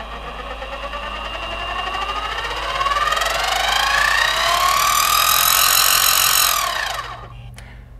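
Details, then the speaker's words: Central Machine mini CNC mill, stock gear transmission, speed selector high, mic worn at the front: several high whining tones climb as the spindle spins up, hold loud, then fade; noisy gears, before belt pulley conversion. "yeah as you can see it's pretty noisy now this belt conversion should quiet that up significantly"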